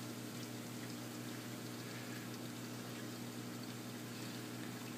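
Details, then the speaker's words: Aquarium automatic water change: the transfer pump runs, adding salt water to the main tank via the chiller line. Constant rushing, gurgling flow with a faint hum underneath. Normal pump operation. "And you just heard that noise. That was the pump."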